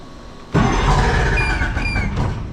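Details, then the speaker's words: Two-stroke outboard on a tinny, unused for 8–10 years, cranked with what is thought to be the choke on after fuel was got up to the carburettors: a rough burst of firing sputters and fades within two seconds; it nearly catches but won't keep running. "Oh, and it just tried to run."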